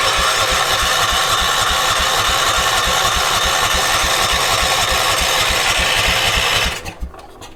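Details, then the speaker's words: 1980s New Zealand-built ORVCO Transtrack UTV being revived on old drained fuel: even starter cranking about three and a half beats a second, never catching, then stops; no spark because ignition lead was left disconnected. "Nothing. Oh, no spark. Duh. Oh, what an idiot."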